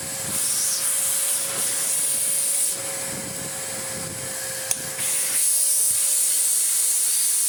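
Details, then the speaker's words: Electrolux D820M (Lux 1 Royal) vacuum after restoration with new front and post-motor filters, running on minimum power: strong, steady airy rush and mid-pitched hum with no rattle; motor sounds healthy. "it all works really well, and the motor sounds mint, which is excellent news."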